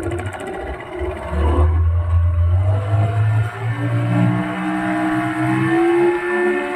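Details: Yamaha 15 hp outboard after cleaning clogged carburetor jet and fixing leaking reed valve: revs up smoothly, throttle released back to steady idle without stalling, stays running when put in forward gear; normal revving.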